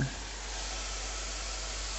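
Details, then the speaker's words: Water supply turned on: steady high-pitched hiss from the leaking washing machine connection. The plumber first suspected the filling loop; fix planned by tightening the connection. "so i'm gonna hazard i guess it's on this terrible bit of filling loop just gonna turn the water on oh we can definitely hear it"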